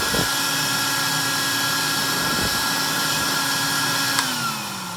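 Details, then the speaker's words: 1964 Electrolux Model 89 vacuum cleaner after rebuild and service: smooth, steady high whine with an even tone, then winding down; a healthy vacuum motor running normally. "You're going to definitely want to know, you know, what a good, healthy Electrolux actually sounds like."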